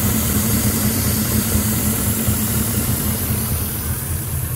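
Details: 2006 Ford F-150 5.4L 3V Triton with a remanufactured engine, almost 300,000 miles, codes P2195/P2197 stuck lean. The hot idle shakes and labors unevenly with a steady hiss riding over it: a large vacuum leak.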